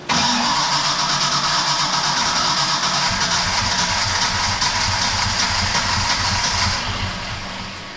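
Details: Project car sitting about 11 years, cranked with no throttle: long steady cranking at about three beats a second with occasional chugs that never catch; extended cranking, no start; voltage read 10.8, reading doubted.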